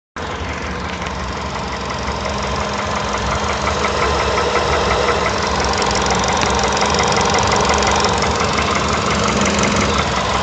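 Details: Volkswagen Polo Sedan petrol engine at idle; steady knock about three per second over the hum; piston slap.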